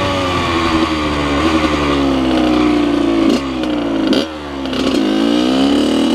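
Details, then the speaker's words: 2003 Kawasaki KX100 junior motocross two-stroke ridden under load: crisp note revving up and down through the gears, pitch climbing cleanly, no misfire; fast, super punchy power band, pulls strongly and healthy. "This thing is fast. Super, super punchy power band."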